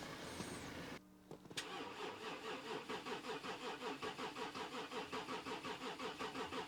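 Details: Volkswagen Touareg V6 diesel non-runner bought from a pub car park, partly disassembled, after swapping in a fresh battery: steady rhythmic cranking at about two and a half pulses a second that never catches.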